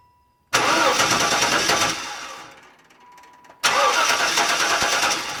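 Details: 1994 wagon: two bursts of steady starter cranking, each a couple of seconds, engine never catches, cranks but won't start; spark being troubleshot.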